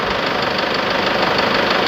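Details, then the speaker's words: Toyota Tiger D4D 2.5 diesel, cold idle, knocks on morning start with white exhaust smoke when hot and smoke from the dipstick: sharp, even clatter; valves suspected, injectors removed, one found loose, leaking sealing washer. "สตาร์ทเครื่องยนตจะมีเสียงเขกนะครับแล้วก็จะมีควันออกตงูไอระบายนะตอนเครื่องยนต์ร้อนๆเลยนะครับ"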